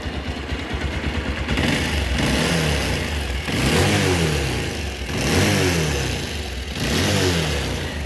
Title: pulsar 220 bike engine noise problem